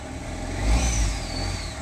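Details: Mahindra Xylo diesel that would not start, just after its locked ECM was unlocked: catches cleanly and revs up smoothly then settles, no misfire or knock; problem solved.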